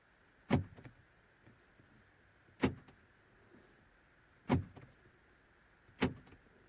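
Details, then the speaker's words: 2009 Seat Leon diesel, remote fob not working: locking via interior button gives four sharp crisp actuator clunks seconds apart; all doors lock and unlock properly; central locking normal, only remote fails. "I can tell you that all the doors lock and unlock properly. So if I lock the car in there, on the button, everything locks and all the doors get locked."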